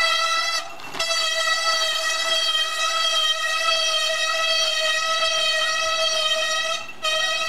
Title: 熊よけ鈴よりもうるさいブレーキ音w